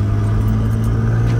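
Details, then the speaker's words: Nissan Skyline R32 GTR driving: loud, raw, unmuffled low rumble with audible turbo from exhaust leak where downpipe separated at the joint. "now you can actually hear now you can hear how garbage this thing sounds yeah terrible iron32 trailer [Music] embarrassing noise and it is genuinely like i love this car i put the window back up it's too loud"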